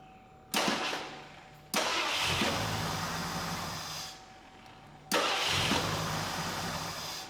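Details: 1982 Ford LTD Crown Victoria stock 302 V8 with vapor lock problems, after in-tank fuel pump install: quick catches on each start, then steady, even idle with no stumble; ready to test drive.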